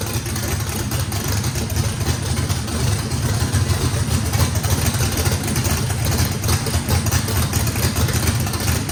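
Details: Brand-new drag-race motor with a radical camshaft, first fire-up, heavy loping idle with uneven chop and deep rumble, holding steady, no blow-by. Overlap and lobe separation needed lots of throttle, blade about six percent open; normal lopey idle.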